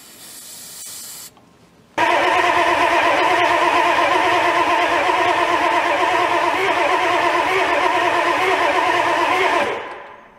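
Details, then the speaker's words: Old diesel with glow plugs disabled and no power to glow plug controller or injection pump shutdown solenoid, tried on ether: steady cranking about three beats a second, picks up slightly but never fires; owner suspects too cold. "you hear it pick up a little bit it's trying to go maybe it's just too cold anyway let's not get discouraged"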